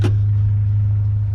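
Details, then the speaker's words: Honda Prelude with a muffler delete and DC headers, oil just changed: a deep, loud, steady exhaust drone from the straight pipe. The muffler delete is too loud, and a new muffler is needed. "this is the horrendous muffler delete ah i gotta get it we got to get a new muffler um it's too loud"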